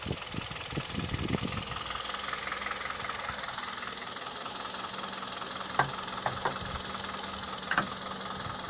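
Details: Kia/Hyundai Theta II G4KD petrol engine idling under accessory load (A/C compressor, heaters), recorded from inside the cabin: faint regular tapping with a few sharper knocks; owner reports piston knock and vibration, knock also at 1500 rpm.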